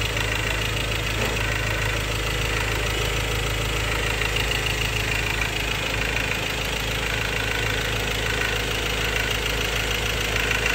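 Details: 2016 Ford Ranger XLT 2.2 Duratorq diesel 4x2 manual, idling: steady even clatter about three per second over engine hum; fuel knock suspected, possibly clogged injector, unresolved.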